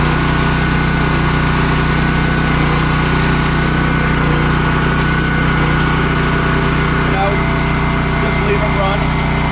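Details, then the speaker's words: Champion dual fuel generator on gasoline, restarted on full choke after being run dry with the petcock shut: after a brief sputter from the dry fuel system, it settles into a steady, even drone with no surging or misses. Normal running. "times you can hear it's running good now"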